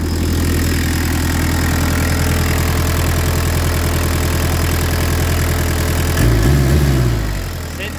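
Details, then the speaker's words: Peugeot 205 Turbo Diesel with lightened 4.5 kg flywheel and performance clutch, during readjustment: steady quick diesel chatter well above normal tickover, very responsive; better than before but idle too high, needs lowering; turbo spins on about 20 seconds after shutoff. "Mais bon, voilà, le ralenti là pour le coup, il est vraiment un peu trop haut. faudra que je le baisse mais c'est un peu mieux que tout à l'heure."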